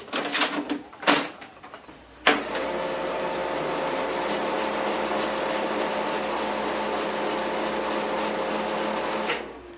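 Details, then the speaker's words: HP LaserJet 4015 after repair: a few clicks, then a smooth steady run hum with no rumble; fuser gear noise cured by denting the metal frame inward so the latches hold the gears without play. "con esta simple abolladura hicimos que funcionara bien una impresora que ya no le habían encontrado la fa"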